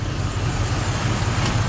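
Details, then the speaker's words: 1972 Cadillac Sedan DeVille after hard driving: smooth, steady low idle rumble with no ticking or tapping; the stuck valve or lifter tick is gone after the Italian tune-up. "Listen how quiet it is. Stuck valve and or lifter tick, gone. That's what you call the Italian tune-up, folks."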